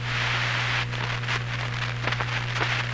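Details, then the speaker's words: Hammarlund SP-600 military receiver, all 65 paper capacitors replaced years earlier, possibly poorly aligned: crunchy, choppy crackling through a steady hum and hiss while tuning; owner suspects contact problems in the large four-section tuning capacitor. "there's a sound that occurs here that shouldn't be happening it's a crackling as i tune it"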